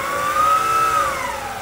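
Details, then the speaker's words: PM-25MV mill spindle after a belt-drive speed upgrade, pushed to nearly 5000 rpm: steady high whine with a labored, strained edge; it runs but is not happy up there, and the owner hopes new bearings reduce friction. "I can actually get this thing up close to five but it's not happy it's not happy up there so yeah it's not real happy running at 5,000 rpm that's for sure but it will do it"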